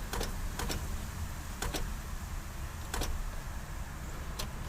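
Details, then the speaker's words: 1987 Toyota 4Runner, 1st gen, 22RE engine, auction find with battery at 12.1 V: each key turn gives a sharp single or double click with no cranking. Owner suspects the starter or the relay; starter drive not engaging. "it is clicking so it's going to starter or the relay"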